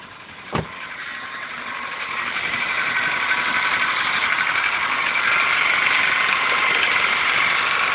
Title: '00 5s-fe cold start rattling noise then OK after warm up